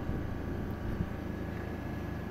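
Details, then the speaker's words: Air compressor in a DIY foam-lined wooden soundproofing cabinet with baffled vents, a shaft fan and a temperature cutoff, started by remote switch: a muffled, even low rumble with no knocks or surging, heard only as background noise. Normal running. "personally it does not bother me at all I just hear a background noise so the difference is really noticeable it's really great,"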